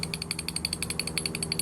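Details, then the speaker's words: Removed gimbal bearing from a 1987 Bayliner Cobra 2250 with OMC 5.7 V8, turned by hand: rapid, regular gritty rattle, about twelve clicks a second; bearing worn and in bad shape, knocking. "and you know it's it's in bad shape [Music] this thing is all rattling"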